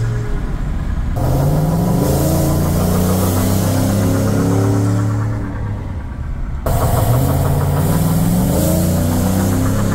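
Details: Chevy Silverado 5.3 V8 with cheap long-tube headers, after fixing the exhaust leaks and adding a small resonator: deep, steady burble idling evenly with brief throttle blips and no ticking; normal idle.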